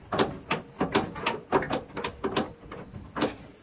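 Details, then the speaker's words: Dodge Ram 2nd-gen tailgate, on the undamaged side: crisp metallic clicks and clunks about every half second as the latch and rod release cleanly; that latch works normally, while the other side is dented and sticks. "all right so i unhook the other side and that works as it should you can hear the"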